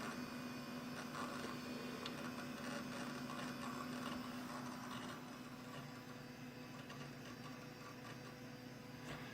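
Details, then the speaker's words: Old Dell Dimension XPS with a Pentium 2 and 256 RAM, booting Windows XP slowly: quick irregular hard-drive ticking clicks, about three a second, over a low fan hum; normal seek chatter of an old drive under load. "You can hear that hard drive chattering away. Mark of an old computer right there."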